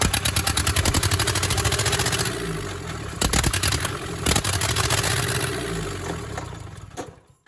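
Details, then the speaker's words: Cheap used skid steer engine, reassembled with excess valve lash: starter turns engine over in uneven bursts, catches briefly on sprayed starting fluid then dies, won't run alone; cause unconfirmed. "Keep spraying? Mm-hmm. Oh yeah, she is not gonna go by herself. Squirt."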